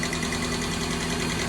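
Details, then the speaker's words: Toyota MR2 with rear-mounted 3SGE 2-litre engine, bought cheap for running rough: light, quick ticking over a fairly smooth idle, apparently from the very top of the engine; source not pinned down; top-end ticking. "So it actually runs good, but as you can hear, it's got a ticking noise coming from right at the top of the motor, so,"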